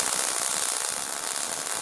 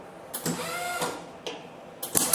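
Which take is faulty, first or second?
second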